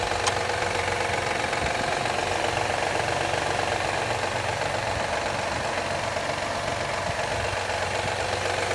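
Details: 2013 Honda Accord EX-L V6 warming up in cold weather runs steadily with a fast, uneven clapping tap of about four a second over the idle; it happens every cold warm-up, and the cause is not yet pinned down.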